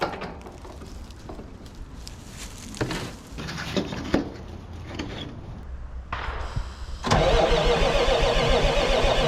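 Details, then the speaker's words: 1980s Marmon cabover semi with Big Cam Cummins diesel, unrun about 18 years: starter churns with scattered clanks, then catches into a loud steady clatter; starts and runs, oil pressure only about 15 psi. "Freaking sick, dude. It runs. Oh my gosh. I love this."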